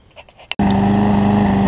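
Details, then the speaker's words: Trade-in lawn mower after carb throttle-linkage adjustment and draining overfilled crankcase oil: a fast, steady, even full-speed drone, running much faster than before, and the smoke has cleared; still needs a typical carburetor diaphragm replacement. "First off, you can hear after I adjusted the throttle on it that it is running much faster."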